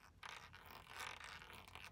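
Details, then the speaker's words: Removed Tesla Model X air shock flexed by hand gives short dry creaks and scrapes; owner suspects it needs lubrication and plans to fill it with lube via an injector needle. "yeah you hear that so yeah I might might squirt a little Lube up in there got a injector needle so I might you know put the injector needle in there and fill that full lube and yeah CU that's that's creaky"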